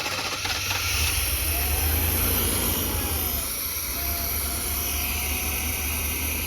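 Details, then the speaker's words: Chevy G20 conversion van after fuel system refresh: steady V8 idle sitting noticeably high and never settling, faint hiss; codes 44 (lean) and 15 (coolant temperature sensor); vacuum leak suspected, not confirmed. "Ridled up that high with [Music] one. What if it's got a vacuum leak somewhere and it's telling there and it's just telling it."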